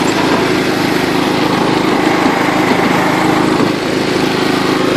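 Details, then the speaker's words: John Deere LT133 lawn tractor, after restoration, in fifth (top) gear of its five-speed shift-on-the-go transmission; steady, even drone holding constant pitch with no misses, normal healthy running at top speed. "this one's got five this is top speed right here"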